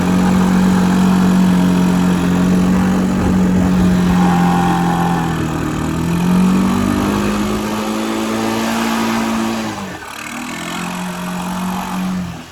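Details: 1984 Honda ATC 200M three-wheeler barn find, revived after 30 years and parts replacement, needs fine tuning; small single revving up and down under load, pitch following throttle smoothly, no misses or knocks, healthy.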